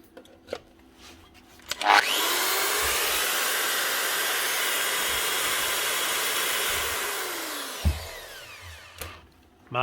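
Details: Bosch GWS 115 variable-speed angle grinder after a new gear head, brushes, bearings and a proper 240 V plug: spins up to a strong, steady high whine, holds even speed, then winds down cleanly; healthy at full speed.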